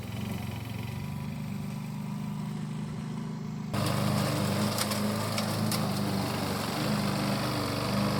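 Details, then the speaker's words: 1988 Alco push mower, Briggs and Stratton auto-choke engine, repaired from non-start (diaphragm, a common issue), cutting cut-and-drop with the old blunt blade: settles into a steady, even beat, then takes load in grass, clean; normal running under load. "So that is done. It runs again. It's a very common issue, the diaphragm on these."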